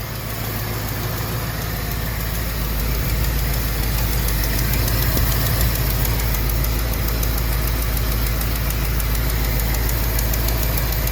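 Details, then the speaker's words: 1974 AMC Javelin V8 idling steadily after restoration work, burning off spilled oil, with a light quick tick about three per second; suspected exhaust leak, with something seeping from the head, not confirmed. "like I got a little tick but it sounds like maybe an exhaust leak"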